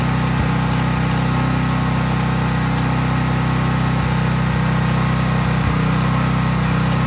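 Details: Craftsman 5000-watt portable generator running outdoors after a cold start at steady governed full speed, only an LED bulb attached, so no load: a smooth, even drone with no hunting, misses or knocks. Normal, healthy running.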